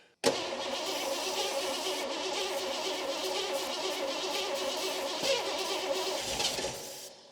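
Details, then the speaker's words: 1986 Ford F150 EFI 5.0 V8, sitting about 25 years: starter spins the engine evenly for about seven seconds and it never catches; spark confirmed good, so crank-no-start from no fuel, fuel pump power to be checked underneath. "Oh yeah, it'll go. We just got to figure out why it's not getting fuel."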